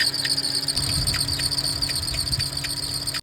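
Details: VW Mk5 Rabbit, 2.5L five-cylinder (07K): high cricket-like chirping and squealing over low engine rumble from a worn serpentine belt tensioner pulley; fixed by replacing tensioner pulley and belt.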